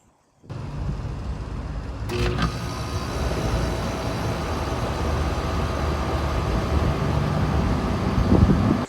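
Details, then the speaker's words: Outdoor A/C condenser unit after replacing a bad capacitor, whose fan had not turned while the compressor ran: a brief clatter on start, then an even low hum with steady fan rush, running perfectly. "So look at that. It's running perfectly. So it took a $37 capacitor and it took me about 10 minutes."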